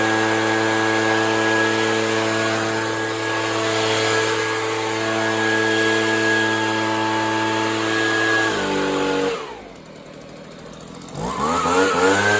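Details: Free Stihl leaf blower two-stroke while opening a carb screw for more fuel: holds a steady buzz, then sags and nearly dies before surging back; mixture suspected off, possibly lean, unconfirmed.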